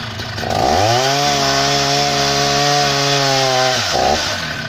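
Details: Husqvarna 480 CD chainsaw on its first tank after a full rebuild with new OEM piston and cylinder; spins up to a clean steady high scream, holds it, drops back to smooth idle. Normal running.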